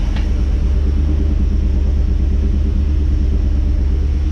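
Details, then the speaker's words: 1987 Chevy K5 Blazer, freshly rebuilt small-block V8, cold with no coolant, recorded at the tailpipe of a single exhaust: deep, steady, even, quiet idle with no misses or ticks and good oil pressure. Normal idle. "oh and listen how quiet it is blows my mind so mint you know it's good for a cold engine without coolant"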